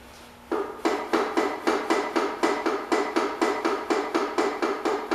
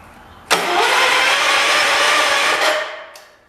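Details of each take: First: 1985 John Deere 210 garden tractor, first start after sitting about 20 years: sharp, evenly spaced knocks about four a second for six seconds, then silence; suspected rod knock, PTO being checked, cause unconfirmed. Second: 1985 John Deere 210 lawn tractor, the 200th built, parked about 20 years: about two seconds of strong even starter cranking without firing, once the shifter was fully in position to satisfy the safety switch. Spark is doubted.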